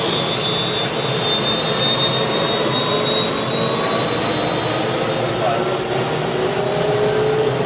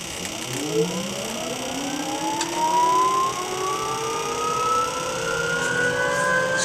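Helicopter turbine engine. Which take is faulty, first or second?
second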